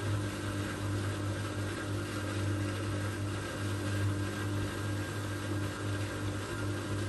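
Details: Old Migatronic W1 1613 washing machine, first test wash after rebuild with new stainless drum spider and new bearings. Steady low hum with thin high tone over it through tumble; owner traced whine to drive motor, not bearings.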